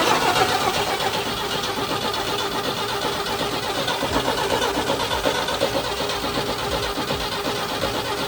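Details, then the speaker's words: 1960 Chevy C10 Apache barn find, 78,000 miles, cranked on a jump box after fitting a new fuel filter: steady fast starter churn about four beats a second, engine turning without catching; no fuel reaching it yet. "We're gonna go ahead and try to crank it over for the first time, see if we can get some fuel moving up front."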